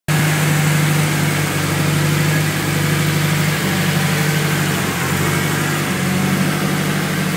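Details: Engine idling after an exhaust leak was fixed: steady low rumble and even exhaust note, no ticking or puffing leak sound; normal idle.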